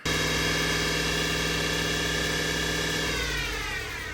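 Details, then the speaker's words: Chevy Tahoe driving: steady high drivetrain whine, recently developed and really bad, over road and engine noise, sagging in pitch as truck slows; source not yet found. "even though the Tahoe has just recently developed a really bad Drive terrain wine for anybody who didn't see that short"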